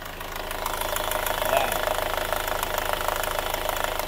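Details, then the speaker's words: Newly overhauled Hyundai Grand Starex diesel idling: rapid fairly even ticking from hydraulic valve lifters with weak oil pressure; quiets when oil reaches them but returns, goes quiet when revved slowly. "Pero ito, kapag napasok naman ng oil, tumatahimik naman. Kaya lang, bumabalik din. Bumalik na naman yung ingay."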